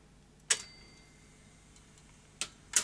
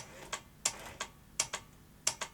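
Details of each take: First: Early first-generation Philips VR2023 V2000 video recorder under repair, after fast forward and rewind started working intermittently: a few sharp, spaced mechanical clicks as the transport engages and runs into play, quiet in between; a normal play cycle. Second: Philips V2000 video recorder tape mechanism: faint paired clicks about every 0.7 seconds, never settling, then the display flashes as power glitches; owner suspects the overcurrent trip is shutting down the power supply; abnormal mechanism clicking.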